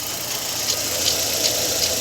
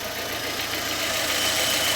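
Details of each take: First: Fiat Fire petrol engine idling: a dry, rattly timing belt tensioner bearing rasp with faint ticks two or three times a second; the car has no air conditioning or auxiliary bearing. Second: Fiat Fire petrol engine idling after replacing the noisy timing belt tensioner bearing: steady, even hiss with no bearing whine or rumble from the belt area.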